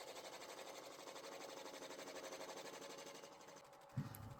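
Steady even hum with a light regular patter, about four beats a second, smooth and untroubled; lathe is turning normally.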